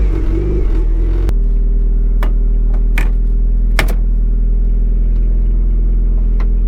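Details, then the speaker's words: Mazda Miata after replacing clutch/brake pedal bushings and rubber stops: engine idling, few soft clicks as clutch is worked, squeak gone. "it's silent so nice"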